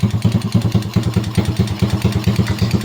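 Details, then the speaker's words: Honda XRM 125 single-cylinder, started after a broken ignition switch was found; rough idle with a hard, rapid internal clatter of about seven beats a second. The engine has no oil, so the clatter comes from low oil. "Kakalansingan sa loob. Walang oil yan. Walang oil."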